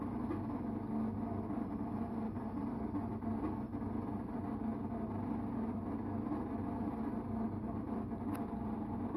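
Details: Electrolux Time Manager front-load washing machine, making a steady, loud rumbling drone with a gritty hum on all programmes, not only spin. Abnormal noise; owner guesses it is the pump.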